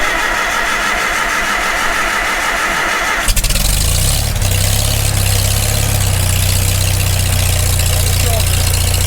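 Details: Farmall Super M tractor first start after full rebuild, muffler on, fuel on: starter churns, engine catches about three seconds in and settles to a steady, even low idle; healthy start.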